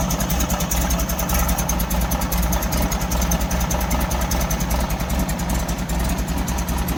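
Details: 1964 VW Beetle air-cooled flat-four after new spark plugs and fuel filter relocation, with a backfire being diagnosed: a lumpy, loping idle at about 2.5 beats a second; the owner suspects it is not firing on all four cylinders.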